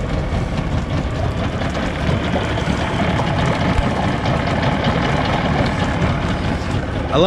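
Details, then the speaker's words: 50 HP Evinrude/Johnson outboard on a Sea Nymph fishing boat, after tune-up, idling after a cold start: steady even low rumble, no misses or surging; sounds normal. "it returns back to that Idol guys and so me shut that off all right so that was a cold start to me it sounds like that's running pretty good"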